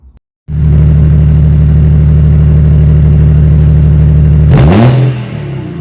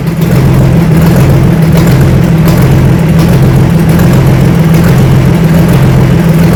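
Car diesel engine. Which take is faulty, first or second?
second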